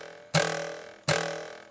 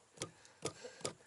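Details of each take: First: Shelby GT350 (S550 Mustang): six sharp taps each ring out with a metallic buzzing resonance from the loose audio amplifier or signal processor under the instrument cluster, mimicking a dash rattle. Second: 2015–2018 Ford Mustang S550 / Shelby GT350 dash module after a sound-mat and window-weld rattle fix: four hard knocks that die away at once with no lingering resonance buzz, the rattle cured.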